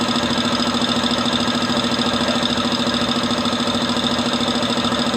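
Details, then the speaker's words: Multipro VBC 300-1/125 OW air compressor on 180 V AC supply, filling toward 8 bar: steady rapid pump pulsing at even pace over constant motor hum; running smooth and stable. "Oke, stabil sekali ya, bisa dilihat pengisiannya dengan tegangan 180 volt."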